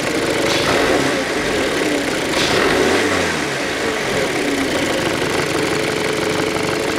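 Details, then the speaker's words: 2007 VW Passat B6 2.0 with codes P1400/P3089/P1063, before repair: engine runs with a wavering, locomotive-like hum that swells and falls with revs. EGR valve is suspected, possibly a worn tooth on its plastic drive gear; EGR valve hum. "его именно вот этот звук паровоза"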